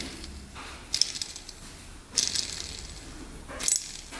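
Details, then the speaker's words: 1994 Honda CR80 engine rebuild: worn crank bearings pressed out of the case and spun by hand, three short bursts of gritty metallic rattling; lots of slop, bearings being replaced. "There's a lot of slop in there. Good thing we're replacing those. See if we can catch it. Yeah, it doesn't sound the greatest."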